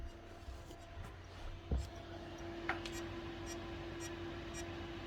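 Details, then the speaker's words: Old Seagate hard drive in a Pentium 4 PC on an Intel D915GAV board, at power-on: steady hum with faint repeated ticks about every second that never pause; owner suspects the drive has failed. "Dude, it doesn't even pause. I think that hard drive failed. You can literally hear it moaning."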